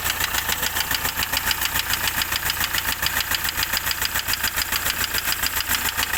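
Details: Hyundai i20 engine at idle with a sharp regular metallic knock about three and a half per second; engine knocking, cause unknown.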